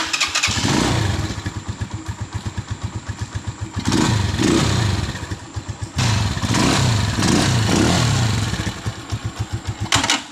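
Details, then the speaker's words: Rusi Macho 175 motorcycle push-button start: heavy, fast thumping with loud bangs as the engine catches and stumbles; loud engine clatter on starting that happens only sometimes, cause unknown. "Ang lakas ng lagapak niya sa kanyang makina mga Kaloks. Pakinggan nyo mga Kaloks, ang lakas ng lagapak niya sa makina."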